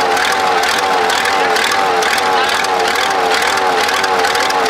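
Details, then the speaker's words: Supercharged Cummins diesel tractor after fitting a different injection pump: steady, even diesel clatter with a constant pitch and no misses or knocks as the engine settles into a smooth, healthy run. "well there you go she sounds good"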